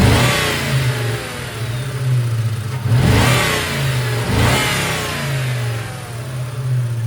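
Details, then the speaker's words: 1998 Mustang GT 4.6 2V after intake manifold and cracked PCV hose replacement: after a throttle blip a loud hum lingers and the idle nearly dies, from a faulty idle air control valve that is about to be replaced. "You heard that loud hum, and now it's barely wants to idle. So, I'm going to change that idle air control valve."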